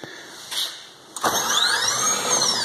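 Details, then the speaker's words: Electric motor on a Lebowski controller with an acceleration limiter set to 30,000 electrical rpm per second; a smooth whine climbs from zero to about 200 km/h, then falls back to zero. Clean, normal spin-up and slow-down. "that right there was from zero to 200 and back down to zero or just about 200 kilometers an hour back down to zero"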